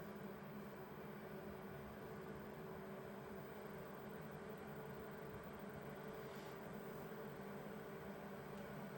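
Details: Vevor 8 kW Chinese diesel heater restarting after its cool-down cycle: quiet, even fan hum with steady tones and no burner roar yet, likely the normal startup purge fan before the igniter lights it.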